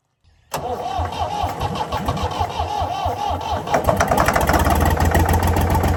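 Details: Previously seized Ford 4000 diesel tractor cranks into a rough uneven run with a dull knock around 220 a minute, only on starting spray; owner not yet worried about the knock, suspects throttle/air and a diesel leak.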